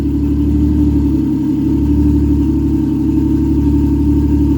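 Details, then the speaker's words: Toyota 1JZ swapped Nova, warm with thermostat open: steady slightly lumpy idle; mixture too rich, AFR around high 11s down to almost 9. "as you can see the AFR is at idle are way too rich they're anywhere from like a high 11s ish to you know 10 almost nine"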